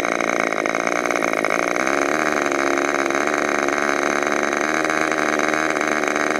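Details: Modified Clarence Lee K&B .61 glow engine test run just after overhaul: high, steady buzzing scream holding pitch without misses or surging; normal running.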